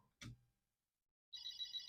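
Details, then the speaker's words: Commodore 8032 SP9000 SuperPET main board fitted in a 4032 case, powered on: a sharp pop, a short silence, then a high warbling chirp pulsing about six times a second, the normal power-on squeal. "and then we turn it on we should hear that lovely squeal"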